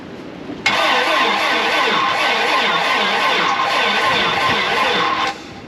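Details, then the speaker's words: 1987 GMC Jimmy (K5 Blazer) diesel project, fuel line not yet primed: steady whirring crank for about five seconds that never catches; cranks but won't start, owner suspects no fuel, unconfirmed. "all right it's entirely possible it hasn't doesn't have fuel I'm uh I didn't prime it either that's one thing I didn't think of"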